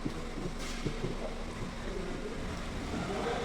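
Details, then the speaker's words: 2013 Hyundai Eon road test after replacing the noisy gearbox top shaft bearing; car drives along smoothly under wind and road hiss with no whine or bearing growl from the gearbox; bearing noise gone, normal gearbox running. "এটাতো একদম sound নাই হৈছে এটাতো পুৰা complete হৈ কিনা আমি খান চলাই আছে টেষ্ট টাইপ কৰি আছে চলাই কিনা আমি চাই লৈ আছে এটাতো একদম সাউণ্ড নাই খতম হৈছে"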